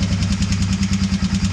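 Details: 1999 Honda FourTrax 300 4x4, which stalls while riding and won't restart, carb-cleaning job: small single thumping at a steady quick idle, even pulses, no misses or knocks; normal idle.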